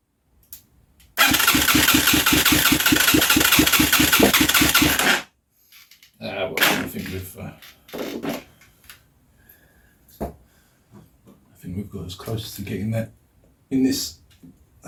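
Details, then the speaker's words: Huaniao HN125 Chinese single-cylinder motorcycle, fed starting fluid, no fuel tank: catches and fires rapidly for a few seconds, rough and uneven, through its exhaust pipe, then dies; runs only on starting fluid. "it's going to sound like crap because it has an exhaust pipe on it but i don't care"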